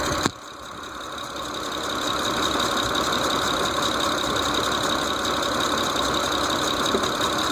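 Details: 2006 Mitsubishi Eclipse GT petrol engine at idle: light, fairly regular ticking about four a second; source unknown.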